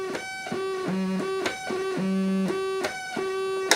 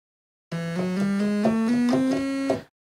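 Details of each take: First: Realistic Concertmate MG-1 (Radio Shack Moog) after op-amp replacement, still needing alignment. Clean sustained notes step between low and high registers, each pitch steady and a true octave apart; this oscillator sounds octavey and tracks correctly. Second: Realistic Concertmate MG-1 (Radio Shack Moog) after op-amp replacement, still needing alignment. Notes climb in small, uneven steps instead of clean octave jumps; oscillator one is bad, not tracking pitch.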